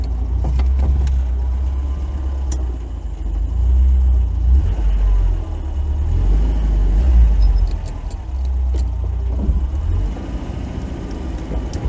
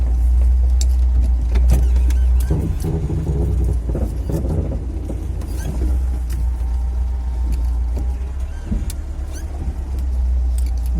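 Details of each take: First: VAZ 2101-07 after ball joint replacement, creeping and turning at low speed. Only a steady engine rumble is heard, with no creaking from the front end. No suspension squeak. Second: VAZ 2101-07 (Lada) creaking when steering at crawling speed into garage; rubbing, groaning creak over low idle, owner suspects worn ball joints.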